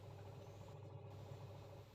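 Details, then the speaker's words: Sharp single-tub washing machine after gearbox bearing replacement, in wash test: steady smooth motor hum, pulsator turning back and forth normally without grinding; no more noise. "Kemudian dites juga untuk mencuci ini kelihatan pulsatornya bisa berputar bolak-balik"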